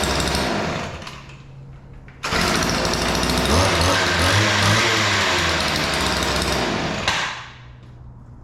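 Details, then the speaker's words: Weed Eater PE550 two-stroke edger after opening both too-lean carburetor mixture screws: buzzes up, holds a steady crisp rattle about five seconds, then drops back; starts easy, runs clean, fixed. "All right. So, that sounds pretty good. The uh screws were just way out of adjustment. Uh they were both too lean."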